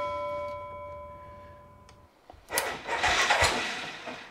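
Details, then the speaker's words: Massimo MSU 500 UTV not cranking, battery about 12.3 V: a few sharp clicks, then the engine starts loud and rough once the starter solenoid is jumped with a screwdriver, showing a bad solenoid. "you hear turn over there we go fire's right off so that there guys tells me that the starter solenoid is bad"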